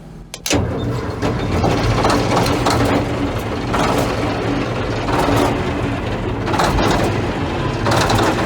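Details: Caterpillar D9G diesel dozer after about 10 years of sitting, with 24-volt glow plugs and the fuel hand-primed: turns over with uneven surging chuffs, then catches into a rough, lumpy run, a hard start after long storage.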